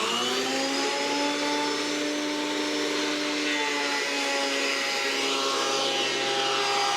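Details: Roughly 30-year-old planer after repair with replaced knives, test-cutting a board: steady high-pitched motor whine with even cutting hiss as the board feeds, no knocks or chatter; running smoothly.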